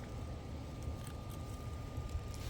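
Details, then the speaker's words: Redcat Ascent 32 RC crawler, first run, barely on throttle and not moving: low grumbling buzz with thin steady whine until more throttle; owner suspects it is geared too high, unconfirmed. "But if you just kind of stay on the throttle, which I'm barely on it now, it just makes that noise. Give it a little more and eventually it'll go."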